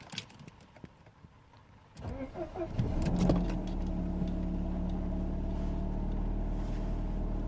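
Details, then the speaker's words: Mercedes W124 E220 M111.960 cold start after oil and filter change (had oil pressure dropping from 1.5 to 0 bar when warm): starter whirs, catches, steady slightly fast cold idle, even firing, no knocks, RPM expected to settle; normal cold start idle. "when pressure looks right and the RPMs should settle any minute now"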